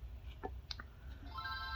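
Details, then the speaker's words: Game Boy Advance, sound fault fixed by cleaning a dirty contact: short clean chime through the small speaker at switch-on, no crackle or dropout; audio normal. "so all i did was i just cleaned that contact and then contact i just cleaned that what was in between and and it's working so there the audio is solved"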